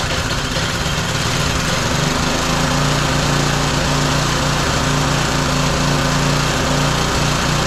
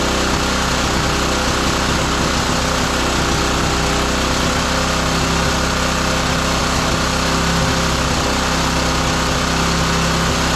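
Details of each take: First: Roadside-found lawn mower engine for the Tommy Gun mini bike (carburetor gummy, may need replacing): steady, fast, even buzz with no misses or knocks; running healthy and smooth. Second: Roadside-salvaged small lawn mower engine for the Tommy Gun mini bike, just after a spark plug swap; it runs loud and uneven with a ragged beat and no smooth idle. The carburetor mixture screw is found turned fully in.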